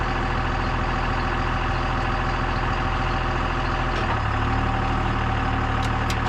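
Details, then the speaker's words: Old CMP truck engine starts after the distributor was turned all the way one way to adjust timing: labored four-second crank, then it catches into a steady, even idle. Still cold and needs more heat, but much less ticky than before. "You need some more heat into it. The engine didn't sound nearly as ticky, ticky, ticky, ticky."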